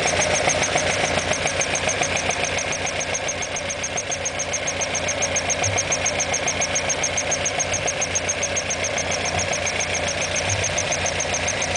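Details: Alfa Romeo Alfetta GTV 2.0L engine at steady idle with a quick, even light tapping about three to four per second; some knock present, cause unclear.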